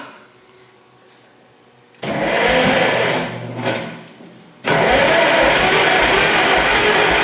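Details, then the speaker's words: Old tractor parked for years with a very dead battery, full choke: two bursts of steady starter cranking with no firing; won't start, suspected lack of spark, points to be cleaned. "man. Maybe we don't have spark. Yeah, maybe we got to clean the points on it."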